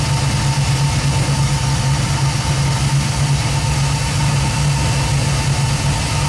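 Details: 1967 Nova with 2002 Camaro LS1, 2010 Camaro fuel pump controlled by Fuel On Demand at 58 psi, about 50% duty and 4 A at idle; settled even idle with low steady pulse, no hunting or stumbling; normal idle.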